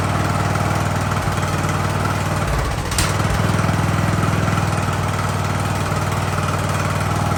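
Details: Ariens hydro-drive riding mower, sat at least two years, in about 30-degree cold: deep, steady idle with an even low beat of about four per second that never stumbles; engine running healthy.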